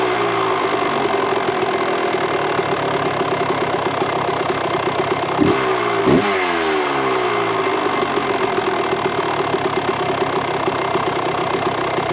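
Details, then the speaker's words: 1998 Kawasaki KX125 two-stroke after carburettor jetting changes and idle screw turned out: crisp, even idle with two clean throttle blips rising and falling smoothly; running well, jetting nearly dialed in. "Everything, it sounds good, runs good. So I think we've got it pretty much dialed in."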